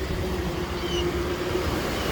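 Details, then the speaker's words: Vehicle reported as knocking and possibly damaged, started by jump after topping up low oil; steady, even low rumble at idle with no tapping or knocking, the engine sounds healthy. "sounds really good"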